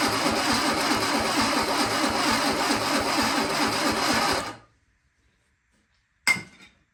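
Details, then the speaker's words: Sunbeam Alpine engine on starting fluid after earlier no-spark trouble: starter spins steadily for about four seconds and never fires; cranks, no start. Long cranking seems to stick a relay open. "We'll try not to crank it too long, because that seems to be what sticks that relay open. So we only have a little bit of starting fluid left. Let's give that a try and see what we can do."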